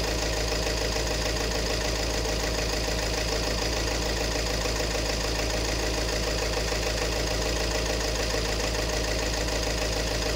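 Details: 2018 Peugeot 3008 diesel idling with loud steady knock about twice a second and rough clatter; fuel system problem, injector number one reading higher (1.17 vs about 0.78 for others), faulty injector.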